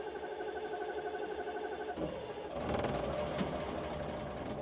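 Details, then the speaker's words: CAT 613C military scraper diesel, sat for years, cranking on the second start attempt after a new fuel pump and filters. Laboured cranking with ragged partial firing and catches that don't hold; black smoke shows it gets fuel, but not enough. "It's got some black smoke, so it's getting some fuel. It's not enough."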